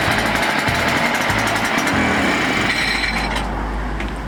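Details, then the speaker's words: Echo PB-500T backpack blower, burned up, during rebuild after reassembly: raspy two-stroke drone wavers and sags instead of holding steady, lean uneven running; carburetor adjustment suspected. "Sounds like it needs a carburetor adjustment."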